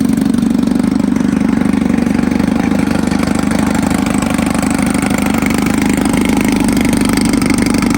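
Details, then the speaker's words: 1954 Evinrude 7.5 HP Fleet Twin outboard, sat for years, revived with new coils, cleaned points, rebuilt carb; running with hood on, staying cool: smooth, steady two-stroke buzz at even fast idle, no misses, knocks or surging; normal running. "staying nice and cool. Honestly, I'm really surprised with how well this thing runs. It's been sitting for years and with a little bit of maintenance, a few new parts, it's up and running again."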